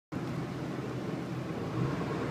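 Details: Ford 7.3 turbo diesel running cold makes a loud, heavy, steady low rumble with a rough hiss and no clear knock rhythm; owner asks what causes it, cause unknown.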